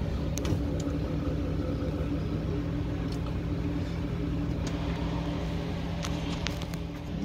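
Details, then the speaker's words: Steady low hum with fixed tones from the freezer fan motor of an LG French-door refrigerator; the noisy fan motor is replaced. "안에 팬 돌아가는 소리가 나는것 같아요"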